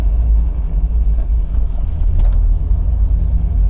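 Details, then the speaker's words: 1980 MGB on its first proper drive after overhaul: steady low road and engine rumble, no knock, whine or grind from the back; the earlier rear noise is gone, owner suspects the diff oil change or the open battery cover; overdrive still not working; normal driving. "whatever that noise was that was going on in the back is gone maybe it was a diff oil change"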